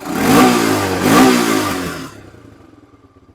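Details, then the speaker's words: 2002 Honda TRX300EX single-cylinder quad; slow throttle blip rises then sags and drops off unevenly instead of climbing cleanly; off-idle hesitation attributed to a stiff, dried-out carburetor accelerator pump diaphragm. "So that's just that little diaphragm being crispy. That's all that is. It's stiff."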